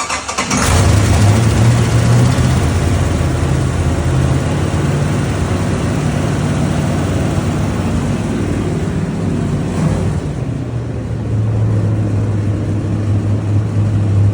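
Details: GAZ-24 Volga with small-block V8 (333 hp), first start on exhaust: cranks and catches straight away, then settles into deep, steady, lumpy idle with even firing and no knocks; normal.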